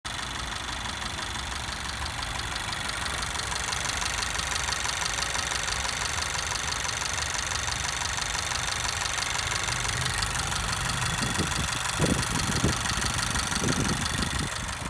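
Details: 2017 Honda Civic Si, 600 miles, direct injection, 93 octane: fast, sharp ticking over the idle from new, getting louder as rpm rises; owner suspects something loose, cause unconfirmed.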